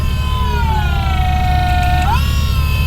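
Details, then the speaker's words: Ford Thunderbird drift car, engine off, power steering just wired up and being bled: steady mid-pitched pump whine that sags slightly then climbs back, from air still in the system. "It's whining a little bit just cuz there's air in the system yet, but"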